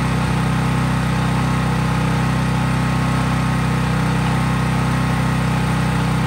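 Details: Craftsman 5000-watt generator outdoors after a cold start, at full speed with no load (only an LED bulb plugged in): a loud, even engine drone at constant speed with a regular rhythm, no surging; normal healthy running.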